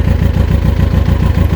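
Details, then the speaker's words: Kawasaki ZX-6R after 10 years idle, carbs cleaned, coolant temperature just reaching top of cold mark, tank propped up, no leaks. Steady, even idle with smooth quick pulse, no knocks; tickover slowing for unknown reason, then stalls. "sounds great, it sounds really nice. Slowing down a bit on the tick over at the moment, don't know why."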